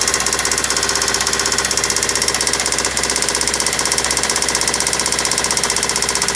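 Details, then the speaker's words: Toyota Celica with a replacement JDM engine knocks loudly and evenly at about two and a half per second at idle; engine knocking badly, cause not confirmed, owner thinks it needs replacing. "that's freaking awful that doesn't seem too bad but clearly that sound is horrible"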